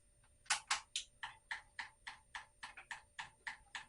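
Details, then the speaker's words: Honda Metropolitan scooter after fuel system cleaning, carburetor reinstalled, engine not running; sharp even ticking about 3.5 per second as the fuel pump primes and fills the carburetor float bowl. Fuel pump priming tick. "I hear it pumping again we'll give her one more fingers crossed toes crossed"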